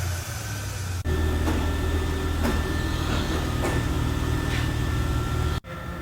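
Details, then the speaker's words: 2012 Mercedes-Benz ML350 (possibly 2013) idling smoothly with a steady low hum, no ticks, rattle or chain slap, just after the engine was reinstalled following a timing chain job (loose tensioner and guide found); about 139k; normal idle after repair. "all right another job is in the book check it out you hear that sounds beautiful this job is complete"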